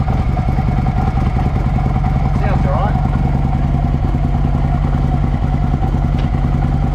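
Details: 2007 Harley-Davidson Ultra Classic V-twin after Screamin' Eagle compensator upgrade and gearbox output shaft seal replacement, first start: loose, lumpy beat at a steady idle with no knocks or clatter; running cleanly.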